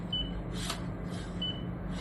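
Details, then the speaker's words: New Canon MAXIFY GX4070 printer: two short clear beeps with paper rustle when feeding through the rear panel, paper detected normally, unlike the ADF, which fails to detect paper for minutes after startup. "you can hear the sound. That is that is not an issue at all."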